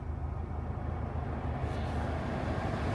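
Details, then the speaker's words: Custom Seeker Ford Ranger, 50,000 miles at its 2023 service, idling with the air conditioning switched on: steady low idle rumble with a slight change in tone as the compressor clutch kicks in; cold air arrives instantly, AC system good. "I hear the air conditioning clutch kick in"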